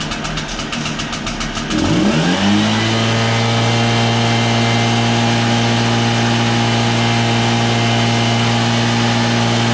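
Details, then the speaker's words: Two-stroke backpack blower that had no power, after cleaning carbon out: a few starter pulls, then it catches, revs up and holds a strong, steady high buzz; normal running with full power restored. "so as you can hear it runs pretty strong now after cleaning out the carbon"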